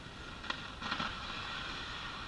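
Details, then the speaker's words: Arvin 402A tube radio powered up gradually on a variac after replacing a defective 50L6 tube, electrolytic capacitors suspected dried out: steady hiss with sharp crackles and pops that flare, settle, then return; static possibly from leaky capacitors. "I'm going to go ahead and he some of the stack is quit I don't know if that's because the DC voltage itself got to a certain point where it was happy or just the Leaky capacitors there's the noise back"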